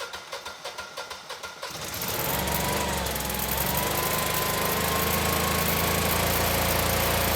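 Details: Generac 20kW standby generator (model 0058751) with replacement GTH-999 999cc engine: even cranking about four per second, then catches and runs smooth and steady under load while making power.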